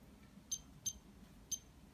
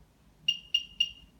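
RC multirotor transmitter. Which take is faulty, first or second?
first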